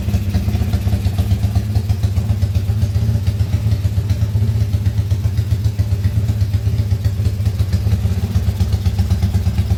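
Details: Motorcycle engine rebuilt under warranty after blowing up, crankcase repaired, just started for first time, still tight and breaking in, idling only without revving; steady even smooth low thrum, no knock or clatter; healthy.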